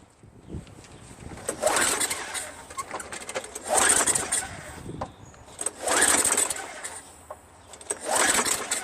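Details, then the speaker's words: Craftsman Eager 1 22" self-propelled mower, Tecumseh 5.5HP engine, after fitting carburetor rebuilt from five parts carburetors, before adding gas: four short whirring pull-cord cranks that die without firing; cranking no-start with no fuel, spark later confirmed. "You know, before I put gas in it, I'm just going to try something. Let's see if it starts."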